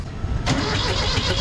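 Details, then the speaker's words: Kubota B7100 tractor diesel, hot, cranks but won't start: starter turns it over at a steady even beat, never catching or picking up speed. Owner suspects bad coolant froze over winter and cracked the head or block. "let's see if we can start it up again nope as hot as this thing is it still does not want to fire up"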